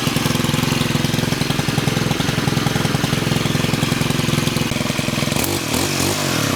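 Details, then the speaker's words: STIHL FS91R trimmer, two-stroke, started after clutch repair for a trimmer head that kept spinning at idle; steady, even idle with a regular fast putter, no surging or clatter, head should not spin; normal idle. "so now I'm going to start it up and the trimmer head should not spin when it's idling"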